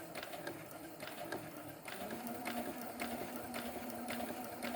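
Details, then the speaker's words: Brother CS7000i computer sewing machine sewing after a 2-hour deep cleaning and oiling that removed dust and thread. Light, even needle clatter at about two stitches a second with a soft motor hum. Normal stitching. "Sounds pretty good, don't you think?"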